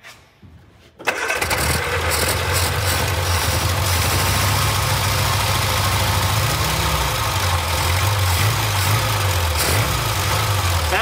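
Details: Barn-find Austin-Healey Sprite, first start after fitting a new fuel pump to replace the 60-year-old unit: silence, then the engine catches about a second in and settles straight into a steady, even idle with no stumbling.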